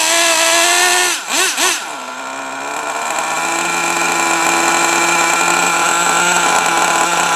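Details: Traxxas T-Maxx 3.3 nitro RC truck after 8+ years stored, very cold out: high buzzy two-stroke scream dipping with quick blips, then clean steady rev; runs nearly perfect, spins all four tires in second gear.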